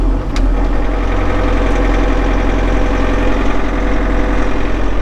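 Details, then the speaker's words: Bobcat Toolcat 5600 diesel cold start at about 32°F after glow plug countdown: fires right away and settles into a steady, even high idle near 1300 rpm until warm, no knocks; normal healthy cold start. "so it should start up that easy and then let me lower this down and right now it's uh it's about 32 outside so it's not super cold but it should start up finding this idle at about 1300 rpms until it warms up"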